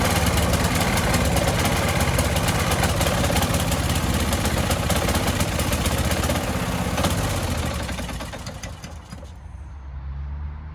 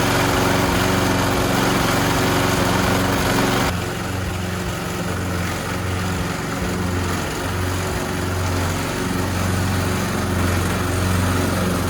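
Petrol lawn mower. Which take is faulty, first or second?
first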